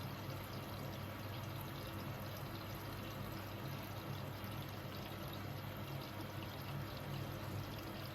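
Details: Hoover H-Wash 500 washing machine in service-mode check-up cycle: soft, steady rush of water pouring into the drum at an even rate, no hammering or hissing; normal water fill.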